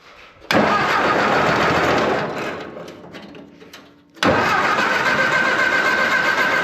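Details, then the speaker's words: Old engine just refitted with a replacement belt after freeing a stuck water pump, bushing end of the generator oiled, brief start-up: fast steady idle with a rough gritty growl; a dry generator bearing is suspected, not confirmed. "Ooh. The generator is a little growly."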